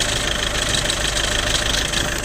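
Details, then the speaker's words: Skoda Superb at 605,000 km, idling, heard from under the car: busy tinny rattle over the engine from a worn dual-mass flywheel; flywheel and clutch are replaced as a set. "şu an sizlere paylaşacağım ses Volant sesi şöyle aracın altına doğru ilerleyelim takır takır ses geliyor"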